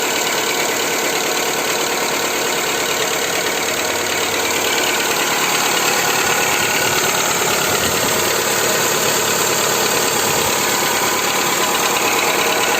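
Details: Skoda Fabia 2 1.4 engine at steady idle after Ceratec treatment, part 2: fast, fairly regular light internal knock about three per second; cause unknown.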